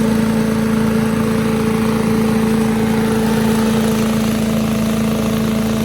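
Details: 1984 MTD Air Sweeper (model 245-692-000) with 5 hp flathead Briggs & Stratton single-cylinder (engine 130212-1731-01), 36 years old, started first pull: smooth even drone at steady speed, no misses or surging; engine healthy, though owner thought high speed sounded slightly slow.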